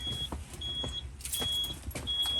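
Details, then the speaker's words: RV shore power surge protector alarm: high thin beeps about every half second over handling noise, sounding whenever shore power is lost. "Anytime we lose power, it comes on with a shore off telling us we lost power. Just a second. Okay. Not to mention, it's annoying."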